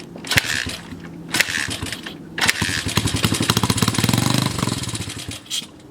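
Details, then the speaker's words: 1981 Honda XR80 four-stroke, unused for years, with spark, compression and timing confirmed: short sputtering bursts that catch on brake-clean sprayed into the carb, pop unevenly and die; won't run on its own fuel, crusty carb needs cleaning. "Alright, so it runs on the brake clean, but it will not run on its own fuel. So it's looking like it's carb clean time."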